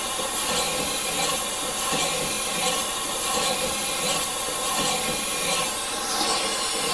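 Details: Morey vertical slotter cutting internal keyways in manganese bronze worm gears after moving the Kool Mist sprayer back: steady hissy cutting with soft strokes under a second apart, smooth and even; normal cut, coolant reaching the tool.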